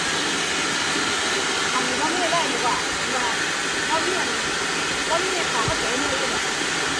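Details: Small rice mill from Roi Et after repair: mill head replaced, heavy-duty system fitted and motor fixed, following an earlier failure to mill where the belt would not engage. Paddy test run gives a steady, even rushing hiss with no knocks, rubbing or surging; healthy.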